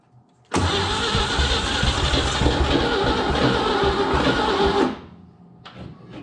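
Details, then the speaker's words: Junkyard 1961 Chevrolet Impala, 235 six with 3-speed manual, parked about 28 years, bottle-fed fuel with good spark: fast, steady cranking about four beats a second with no catch. Crank, no start; the owner suspects insufficient fuel. "to go though she should have plenty of fuel we gotta hook up a fuel source i just don't have good luck running them off the bottle it's just me see it's gonna go we just don't have enough fuel"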